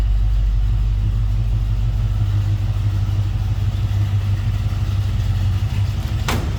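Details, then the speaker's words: 1970 Chevrolet C10 stepside with rebuilt 350 V8, heard from the rear at the tailpipe after a cold start: deep, steady, unbroken V8 burble; normal idle. "around to the back so you can hear this run. Good sounding 350."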